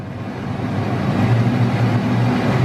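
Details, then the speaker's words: Hummer H1 AVA 97.5 replacement HVAC main unit, blower on setting 4: a steady, slightly louder rushing drone with no rattle or squeal, nothing worrying. Normal blower noise at high speed. "4, you get a little bit more noise, but nothing too worried about."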